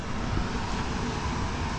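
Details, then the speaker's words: Freshly built Sea-Doo RXP-X Pro Spec race jetski engine: short low rumble picks up into a louder burst as it catches and runs; a little smoky from assembly oil in the fresh motor, spark and fuel present, no leaks, normal start. "it's a little smoky because you know the motor is fresh you know when you put the motor there's oil in the in the Pistons and all that stuff not a big deal it starts everything is there we got spark we got fuel no leaks"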